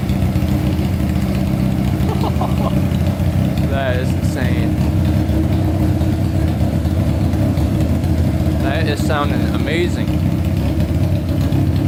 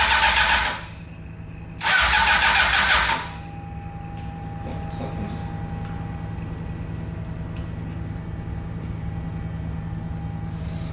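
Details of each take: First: Honda CBR600 four-cylinder engine in a custom go-kart, carbureted, fuel pump not working: deep, steady roar with quick throttle blips rising and falling smoothly. Revs clean and strong, sounds healthy. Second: Honda CBR600-engined go-kart with four carburetors, starting after fixing leaking carbs: two harsh ragged bursts backfiring through the carburetors, then catches and settles to even idle; cause unknown.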